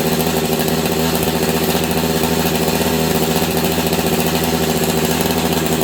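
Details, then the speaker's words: Long-stored Husqvarna 385 chainsaw runs but will not throttle up, burbling at one low uneven speed; sounds like clutch grabbing; owner suspects a massive air leak, possibly ignition advance. "it sounds like the clutch is grabbing on this thing but it's not it's the saw will not throttle up on it for me to save my life it runs good though"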